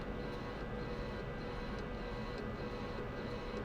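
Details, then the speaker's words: Lathe roughing facing cut with carbide tool on gyroscope rotor: smooth unbroken cutting hiss with faint light ticks, no intermittent grind, showing the tool is now cutting all the way across the face. "So now you hear that there's kind of a continuous sound. It's not going, grind, grind, grind, grind. So now we're sure that we're actually cutting all the way across the face here."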